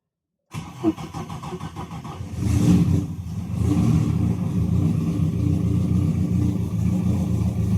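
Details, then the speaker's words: Ethanol-fuelled turbo car (Pulsar turbo, 2200cc injectors, K-series coil packs), first start after a cracked piston pin, primed with quick start; brief crank, catches, flares and settles to a steady even idle, seemingly at full compression, no knocks or misses. "Okay, let's just tune first, heat it up. Sounds like it got full compression."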